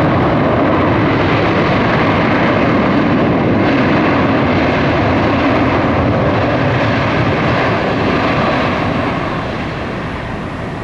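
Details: Frontier Airlines Airbus A320 NEO, delayed, after a troubled start: the jet engine lights and settles into a steady, even roar with no surging or popping, a normal run.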